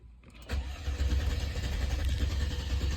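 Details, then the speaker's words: Chrysler Crossfire crank no start, no trouble codes, RPM signal present: steady starter cranking with no catch; fuel contaminated with water from cheap gas. "there we go this sounds like it wants to start so at least we have a speed signal"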